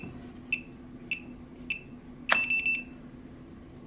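Three single chirps about 0.6 seconds apart, then a quick run of four beeps as the lock leaves program mode with fob tones off.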